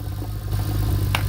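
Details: 2001 Lexus IS300 with manual gearbox and turbo 2JZ, running: rough, with a deep uneven rumble, grinding and repeated knocks. Bottom-end damage was first feared; a loose crank pulley was later suspected after engine removal.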